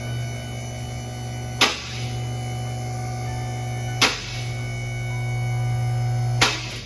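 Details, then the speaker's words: Vehicle lift climbing a little higher after lockout check: steady motor hum with a sharp lock click every couple of seconds; lift raising and catching on its lockouts normally. "If this roof hits that shutoff bar, the lift automatically shuts off so you don't damage the lift. Moving up a little higher, listen to the clicks."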